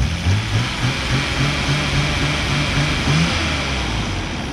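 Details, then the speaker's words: Nissan Skyline R32 engine in good condition for comparison: smooth, steady petrol idle with low even hum, no rattle or knock, unlike the blown engine's huge rattling sound. "This engine is in good condition. Let's compare."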